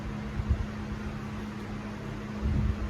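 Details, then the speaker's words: A barely used Casablanca Four Seasons III ceiling fan with a three-way light kit, running on low speed. A soft, steady low hum at constant pitch with no ticks or wobble; it has a good, smooth low speed. "has a good low speed to it"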